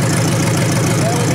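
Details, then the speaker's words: 1953 Hemi V8 revived engine idling low and even with a light mechanical patter from the old mechanical fuel pump working as it should; oil pressure confirmed, normal idle. "Yeah, mechanical, you can hear it. That's good. That's the noise. That's what you hear."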